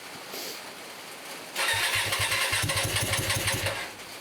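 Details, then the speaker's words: Hyosung 125cc V-twin motorcycle after 2 years standing, first start after its carburetors were cleaned, with choke; the engine catches and runs with a rough, uneven putter of about three pulses a second; owner suspects it is running on only one cylinder. "sounds like it's only on one cylinder to me"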